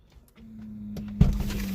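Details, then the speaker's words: Mercedes W140 PSE central locking pump after repair of a dead unit, tested with the ignition key in position 2 by operating the headrests: steady low electric hum with a slight wavering edge; it works but sounds unhealthy, pump running rough. "Yes, as you can hear, the pump is working. Sounds a bit unhealthy, but it does the thing."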